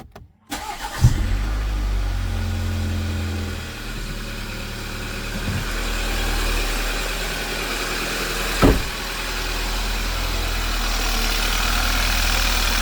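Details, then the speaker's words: Ex-police BMW G31 Touring, first start after repairs for rough running, worn engine mounts and overdue maintenance plus a coolant refill: engine catches quickly and settles into a steady, even idle with no ticking, squeal or knock. "I don't know about you guys, but I'm really curious to see how the engine will sound after we replaced all these things. So, I'll start it now."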